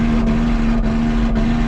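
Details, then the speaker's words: Nissan Xterra brought in for a suspected transmission problem, near operating temperature, full throttle in second gear with one oxygen sensor pulled: labors with a flat drone and a stumble about twice a second; flashing check engine light, misfire from clogged catalytic converter. "okay so I'm not sure if you can see it or not but the check engine light is flashing which means misfires"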